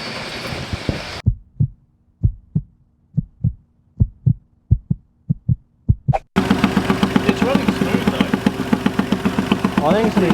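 Isolated puffs, then a running engine with a sharp, rapid ticking that tracks the firing. It points to a blown exhaust manifold gasket.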